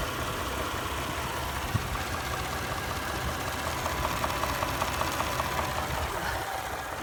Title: 2017 3.5 ecoboost knocking sound